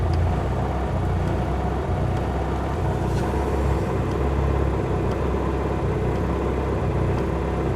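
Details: Mitsubishi Lancer Evolution MR RS idling; low, uneven rumble with a lumpy, unsteady beat and no clean rhythm, a rough idle of unclear cause.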